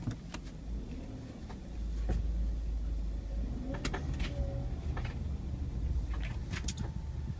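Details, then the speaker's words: Subaru Forester pulling away from a stop into a sharp right turn: sharp, irregular knocks and clicks over low engine rumble, mostly at the initial turn and more on right turns. "trying to get my car to make the weird lking noise it makes when I turn going from a stop to a sharp right"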